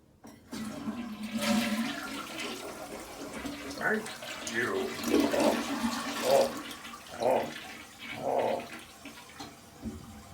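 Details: Toilet flush after the flapper was replaced with a Korky rubber flapper and its chain shortened: a strong rush, then gurgling surges as the bowl empties and the tank refills, a normal, healthy flush.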